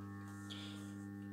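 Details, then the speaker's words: Mazda Esthelux 400 lamp ballast after fitting a homemade 1 mm metal plate: a soft, steady mains hum with no rattle or buzz, now barely audible. Normal ballast hum. "Voilà, donc comme ça on l'entend quasiment pas. Hein. Le ronronnement il est vraiment sympa."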